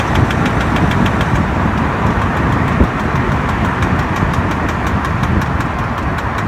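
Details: BMW E60 while driving in D at all speeds: sharp regular knock four to five a second with body vibration, gone in neutral; flex disc and center support replaced without help; worn driver-side rear output shaft CV joint, fixed by replacing the shaft.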